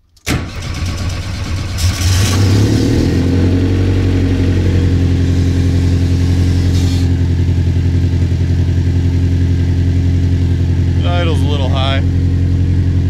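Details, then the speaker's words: VW Beetle with a swapped Subaru engine on MegaSquirt with a blow-off valve, first start while cold: it fires and catches, then settles into a steady, slightly fast idle with a deep, even exhaust note. It won't rev well until warm; high cold idle. "and it doesn't like to rev either until it's warmed up but lets you start again"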